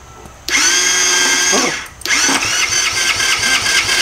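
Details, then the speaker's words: 50cc quad that sat for years, with a finicky brake switch: two bursts of thin, high starter whine that spin down and waver, engine not catching. Starter suspected to be partly faulty but it cranks. Weak starter cranking, engine not catching. "Sounds like the starter's a little messed up, but it kind of works."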